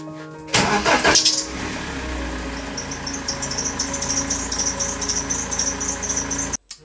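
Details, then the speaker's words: BMW 320d E90 with the M47 diesel after a new belt tensioner was installed. It cranks and catches, then a high, thin squeal persists over the idle. The tensioner was not the cause; the worn serpentine auxiliary belt was. "Actually, I feel a bit stupid because the problem was not on the tensioner, so I believe I spent 40 euros for a new belt tensioner for nothing, because the real issue was the belt itself."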